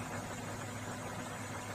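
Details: Komatsu PC200-6 excavator diesel: even, steady running under throttle with no knocking or hunting, clean exhaust with no smoke; normal healthy engine.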